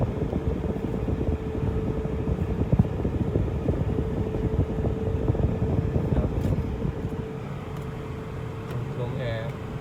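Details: Idling car with an added 12 V condenser fan, fitted because the AC went warm when stopped in traffic. A steady mid-pitched hum rides over a rough idle; the fan runs normally and the AC now cools while parked.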